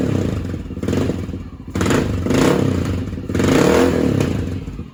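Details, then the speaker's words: Honda XR650L with a newly fitted Mikuni TM40 40mm pumper carb, started on choke: slow, lumpy single-cylinder thumping that sags between uneven surges, close to stalling; the idle is set too low and needs raising. "So I think I may have to idle it up though. It's the one thing I've noticed. I'll have to get under here and idle that up a little bit. This is definitely too low and idle."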